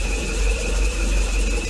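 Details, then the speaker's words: 2002 Proton Saga Iswara 12-valve SOHC 4G13 carbureted engine, 5-speed manual, warming up after an oil change to thinner oil; steady high whine over the engine rumble from the power steering pump, which owner says needs flushing. "pretty good the power steering if you can tell making quite a bit of noise I'm going to need to do some flushing on that thing"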